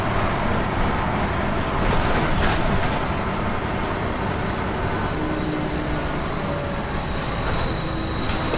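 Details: First Manchester Volvo B10BLE diesel bus 61241 (R339GHS), recorded 9 October 2010. A thin, steady, strange high-pitched squeal rides above the road rumble and engine noise; source unknown.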